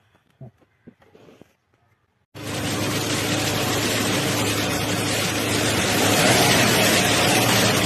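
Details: Suzuki Celerio radiator fan motor after replacement, plus new temperature switch, for overheating where fan stuck intermittently: quiet start then steady even whoosh with engine hum beneath, no rattles or rubbing; fan running normally.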